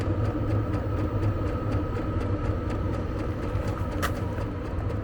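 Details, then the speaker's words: Vevor diesel heater installed in a converted Fiat Ducato van, at full output after warm-up acceleration: steady low rumble, even fan hum and soft regular ticking, no surging or misfiring; normal full-power running. "Allez, je vais doner. Là, il est à fond. Position 1."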